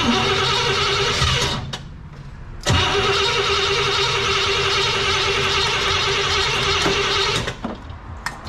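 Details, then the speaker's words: Cadillac 390 V8: starter churns, pauses, churns again without catching; cranking no-start, starter getting hot, no fuel available. "she just don't want to [Music] run and I don't have any fuel"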